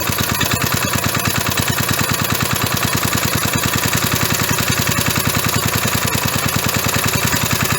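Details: Roughly 37-year-old (about 1985) 3.5 hp Briggs & Stratton mower engine, a hard starter, running after carburetor cleaner was sprayed in. An even, quick firing beat of about three pulses a second holds steady without stumbles; running healthy.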